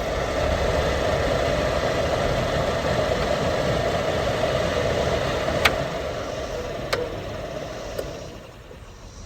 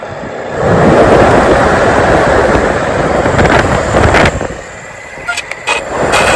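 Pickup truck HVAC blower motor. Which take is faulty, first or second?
second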